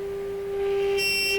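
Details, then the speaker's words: Hammarlund SP-600 receiver being prepared for 455 kHz IF alignment, audio output around 20 volts. After a grounded part was fixed, a constant whistle near 400 cycles with a brief shrill squeal remains. Oscillation, source not yet found. "Nope, still does that funny sound."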